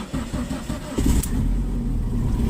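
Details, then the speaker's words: 2002 Dodge Neon ES, 110,000 miles, cold start on a freezing day: engine catches immediately and settles into a steady, even idle with no knocks or misfires. Owner plans to drop the transmission, suspecting the torque converter; engine sounds healthy. "Boom, starts right up. But yeah, I'm gonna have to drop the transmission and fix it."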